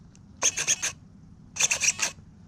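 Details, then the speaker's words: Savox Black servos, about a year old, on a modded .32 RC kit, with end points set correctly: crisp high buzzing bursts in two quick groups of four as the steering sweeps, silence between, no humming, glitching or jitter. Normal servo operation. "listen no humming no dinging zinging glitching none of that crap savvo servos are great servos guys"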